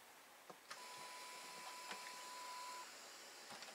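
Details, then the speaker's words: Atari 1050 floppy disk drive bought as not working, powered on: faint steady motor whir with thin tone and scattered clicks, both lights on and drive light blinking; disk spins but head stepper is stuck. "you hear like noise inside of it like one of the motors is spinning"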